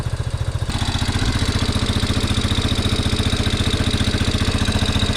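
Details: 1987 Yamaha Big Bear 350cc 4x4 fire-burned parts quad, uncleaned carb, no airbox with straight pod filter (owner suspects lean), running on choke: steady even single-cylinder putt-putt, no knock or miss; motor sounds good, normal idle.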